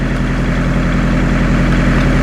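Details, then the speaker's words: 1986 Ford Escort diesel idling on a very cold December day after fuel system repairs (filters replaced) for stalling and no-start; loud, even clatter with a steady low throb, no misses or hunting: normal idle. "so I'm definitely glad this thing at least starts up and runs again"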